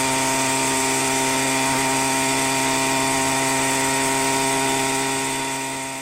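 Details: Minarelli two-stroke on a motorized bicycle with a 110 main jet, rehoned and only about a tank through it: high, steady buzzing rev, slightly burbly and fat at the top; the owner thinks it is still slightly rich but basically tuned.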